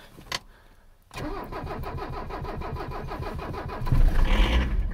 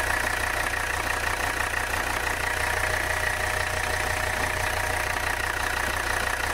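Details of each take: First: Abandoned 1985 Mercedes 300CD diesel, cold start after glow plug cycles, ether and fuel system primed with strainer cleaned: brief crank, catches with a touch of accelerator, even clatter surging with throttle; normal start, all cylinders. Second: Abandoned 1985 Mercedes 300CD diesel, hot, idling: rough clatter with a thin high squeak from the front of the engine, heavy blow-by and changed tone; squeak cause not yet found.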